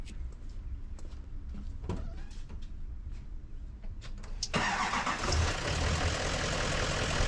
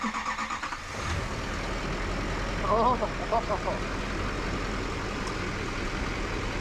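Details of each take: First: Duramax LML diesel truck with a cracked piston, probably the third set cracked; owner blames having no EGT monitor. Cranks briefly, catches, then idles rough and uneven with a dull knock about every third of a second. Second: Duramax LML diesel first start after engine rebuild with forged crank, Molly pistons and aftermarket harmonic balancer (replacing cracked pistons): cranks, catches after about a second, settles into smooth even idle without knocks or misses.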